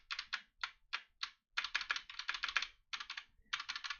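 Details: Mechanical keyboard keystrokes, bright and clacky, with a loose smeared rattle trailing some presses from unlubricated stabilizers.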